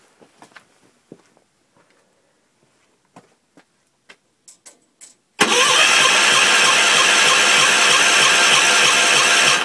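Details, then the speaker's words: Gravely 450 tractor with a Kohler K241 single on its first start attempt after rewiring. The starter spins evenly, about three turns a second, with no firing; fuel line primed and present. No spark confirmed; owner suspects the old coil and condenser. "probably not getting any spark this tractor has this old coil and this really crappy looking condenser which i suspect is no good"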